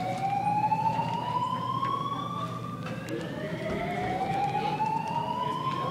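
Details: Greenwich High School fire alarm going off repeatedly during testing, with strobes flashing. An electronic wail sweeps upward and restarts about every three seconds at a steady level; the alarm sounder is operating normally.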